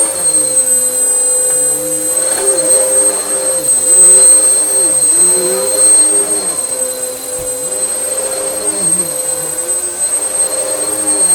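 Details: Vax Power U84-M1-BE upright vacuum after motor repair, previously sounding about to blow up: smooth steady high motor whine at constant pitch, no rattle or wobble; normal motor running, repair a success.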